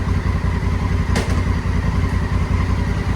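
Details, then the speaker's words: Honda Africa Twin after clutch work, on center stand in first gear with rear wheel off the ground spinning: steady even low thumping, no slipping or grinding; clutch and gear engagement working normally. "goes into first gear. Of course, because it's off the ground and it's spinning, but that's just because it's off the ground."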